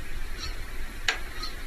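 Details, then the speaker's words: Gree wall-mounted heat/cool air conditioner indoor unit in bedroom, bought April 2023, from June makes intermittent loud knocking crack at night; repairs to front panel, greasing fan impeller, gluing strips in casing failed, source still unknown after nine visits. "哦，有点像敲东西的声音是吧？一个师傅说一样的情况，4个师傅到现在都来了9趟了，没有解决这个事儿。"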